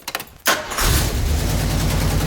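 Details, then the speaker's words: 1977 Jeep CJ-7 with rebuilt AMC 304 V8 and Holley carb, engine at operating temperature after float adjustment: starts after a short crank into a steady, even idle with no stumbling or hunting, possibly idling slightly high; normal idle. "It already sounds a lot better. Since the engine's already up to temp, we can go ahead and make more fine adjustments on the carb."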